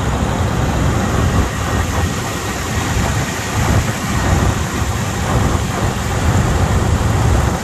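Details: 1992 Buick Roadmaster, TBI 350 Chevy V8, 169,000 miles, started after sitting months in snow at -25 nights, needed battery swap: deep steady low rumble, even beat, no knocks or ticks; V8 idles cleanly after cold start.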